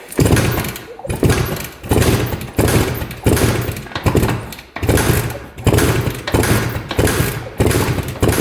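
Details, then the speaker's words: 1971 Suzuki T500 500cc two-stroke twin, sat 22 years: kick-over compression test with throttle open, even firm pulses about 1.5 a second, reading about 142 psi on one cylinder and 150 on the other; good compression. "Ooh, 150 on that side. Awesome. Cool, cool, cool. We've got great compression."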